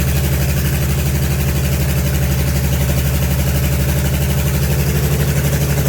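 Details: Allis Chalmers HD20 crawler, GM 6-110 two-stroke diesel, after 15 years sitting, blower rebuilt, full-flow filters, worn exhaust manifold/muffler: deep steady rumble with even, regular firing, no misses; settles and runs smoothly, no oil blowing.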